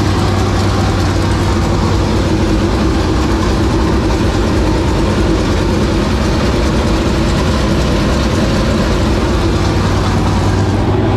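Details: 465 cubic-inch V8 race engine running for the first time in three years, after fuel pressure was improved: a loud, heavy, continuous roar holding steady with no misses or knocks; normal running.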